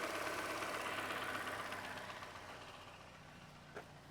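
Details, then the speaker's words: Toyota Camry with 77,000 miles, started after an oil and filter change: a quiet, steady idle with fast, even, light injector ticking and no knock or misfire; normal, loud direct-injection noise. "You can hear that direct injection, how loud it is. These engines, they sound like crap."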